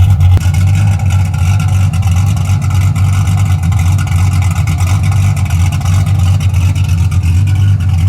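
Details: 1981 Camaro V8, warm, after a top-end swap to a roller cam, aluminum heads and a new intake, retuned, with 35–40 psi oil pressure at temperature: it idles with a deep, steady lope and even pulses, no ticks or misses. It is healthy.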